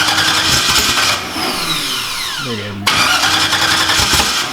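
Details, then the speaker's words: Engine's first start on a new build: fast rhythmic cranking with no firing, then a falling whine as the starter stops; flooded with excess fuel, fuel also in the exhaust. "yeah yeah yeah one two you ready yeah yeah so much fuel in there still i'm sure in the exhaust"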